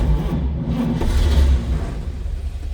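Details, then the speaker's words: 1941 Chevrolet pickup, 235 cu in inline six, 3-speed manual in neutral, floor starter, cold start: brief cranking, then it catches straight away and settles into an even low rumble; normal cold start. "Make sure we're in neutral. That 235 fires right up."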